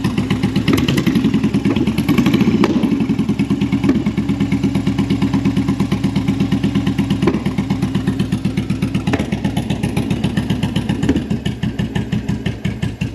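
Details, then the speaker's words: Carbureted V-twin bobber just fitted with a Cobra Speedster exhaust, started with choke priming: a loping, uneven idle of about three beats a second with sharp exhaust pops every couple of seconds. Owner suspects lean running and carbs needing syncing. "all right so it runs it runs like mostly because uh the carburetors need syncing and fine tuning I think right now it's running a little bit lean maybe just because I kept hearing pops"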